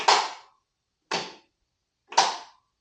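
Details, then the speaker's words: 1980 Craftsman Indy 500 tractor with new battery, brake down and choked, turning key: three sharp clicks about a second apart, no crank; failed starter solenoid not powering starter, fixed by replacing solenoid. "pop and then nothing so I'm assuming that's probably the Ceno so I don't have any power pass the solenoid to the actual starter and that must be the solenoid popping"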